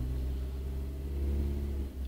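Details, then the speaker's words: Renault Clio Mk3 after fixing cylinder 2 misfire from water ingress at pencil coils, codes erased: steady even low idle with no stumbles or ticks, no fault codes on recheck; runs smoothly after repair. "So, if I switch the engine on, nice and smooth."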